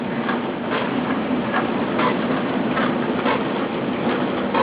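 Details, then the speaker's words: Danby DDW1899WP dishwasher, wash cycle just started: steady watery churning with a soft rhythmic swish about twice a second as water circulates inside; pump and spray sound normal. "And once it does that, I'll open it up so you can see that it actually is churning water inside."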